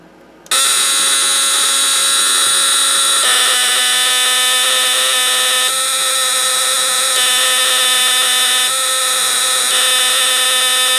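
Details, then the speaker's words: Snap Circuits project with relay, transformer, LEDs and two lamps, speaker only via press switch: loud continuous high buzz shifting slightly in tone; relay rapidly opening and closing contacts, as intended. "So as you saw that time, we had our LEDs and our 2 lamps light up again as the relay was opening and closing its contacts, expanding and collapsing our field in the transformer there, but we didn't have the speaker as part of the circuit."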